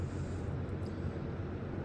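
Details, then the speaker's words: 2024 Midea 12,000 BTU inverter window air conditioner MAW12V1YWT-S on cool low, inside fan low: only a soft low steady hum from the condenser fan, indoor fan nearly silent, no rattles or buzzing; normal quiet operation. "the only thing you can hear is the condenser fan motor but when the con fan motor is off you don't hear anything from this indoor fan motor here"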